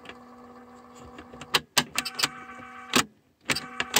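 A steady motor whir runs smoothly, then a few sharp mechanical clunks from the deck keys; the rewind mechanism sounds healthy.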